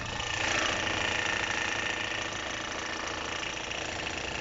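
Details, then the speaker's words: Timing chain rattle from the front of the engine on a 2010 Chevrolet Captiva at idle: a fast, fairly even metallic knock about four a second, like loose parts in the timing; persists with the engine belt removed; worn, slack timing chains. "entonces aparece ese ruidito que hace de golpeteo como despreciar a algunas piezas sueltas en el tiempo"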